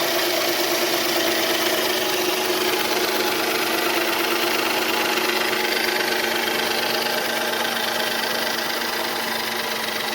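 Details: 2007 Dodge Charger V6 at idle: light, fast ticking about three per second over steady idle, mild top-end tick of unclear cause.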